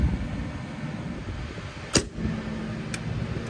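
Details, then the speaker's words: Trane Varitrac rooftop unit not cooling, run in test mode: steady blower hum, then one sharp clunk as the compressor tries to start and trips the breaker; compressor fault suspected, windings and grounding to be checked. "okay so that was the compressor and that tripped our breaker so we have an issue with the compressor looks like"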